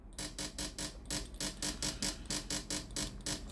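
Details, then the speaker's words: Philips steam iron model AIS8540/80 powered on, front heater hot, water pump buzzing in quick regular pulses about four per second when the water button is pressed but no steam comes out; pump failed. "มีเสียงปั๊มน้ำทำงานนะครับไม่มีไอน้ำออกมาที่ฮีตเตอร์ด้านหน้าของเตารีดนะครับอาการเสียตามที่แจ้งนะครับไอน้ำไม่ออก"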